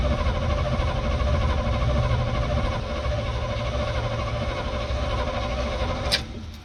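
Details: Old truck field find cranked cold on a temporary bottle fuel feed before first start: even, unlabored cranking about four turns a second for six seconds, then stops; spins freely, over 45 psi oil pressure while cranking.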